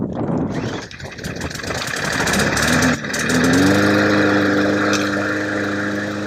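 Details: Trash-picked mower running after being refitted with loose bolts and given fresh gas; the old fuel had looked flaky. It cranks, catches and settles into a steady, even buzz; it runs normally.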